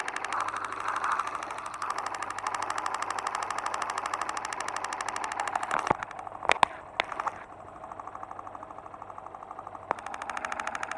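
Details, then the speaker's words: New motorcycle engine at idle, heard through a probe on the case that amplifies its characteristic internal noises; fast, even ticking at a steady idle with no heavy knock; normal internal engine noise. "aquele barulho que você ouviu o ruído melhor dizendo são os ruídos característicos das parte interna do motor amplificados"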